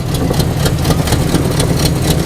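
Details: 1987 Chevrolet Monte Carlo SS V8 after sitting 20 years, started after a couple of hours' work: low, steady idle, even rumble with light ticking on top; running smoothly, power steering working.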